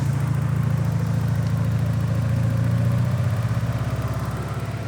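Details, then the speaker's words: Porsche 944 at operating temperature, idle speed adjusted to 950 rpm with the idle stabilizer engaged after defeating it via a jumper across diagnostic port B–C: low, even idle, no hunting or misses. Owner unsure whether any vacuum leaks exist. "and with that little bit of tweaking and a little bit of adjusting we now have 950 RPM with the idle stabilizer engaged I'm pretty happy with where she is as she sits here"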